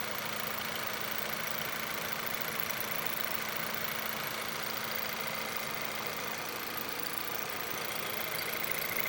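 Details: Viewer's car at idle, normal steady rpm and no misfires: loud, busy metallic clatter and ringing from the engine top end at about two per second; suspected low or no oil, cause unconfirmed.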